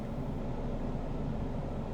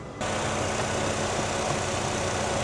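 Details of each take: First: 2014 Nissan Frontier that ran rough and stalled with no codes, after a new PCM and an air/fuel ratio sensor replacement. Idles at about 750 rpm with fuel trim near 98 (2% rich). Low, steady rumble with no stumble: a normal idle. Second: 2014 Nissan Frontier four-cylinder that runs rough and stalls with no codes, fuel trims about +20–25% lean at idle, no vacuum leak on smoke test: slightly uneven, wavering idle; fixed by replacing the air/fuel ratio sensor.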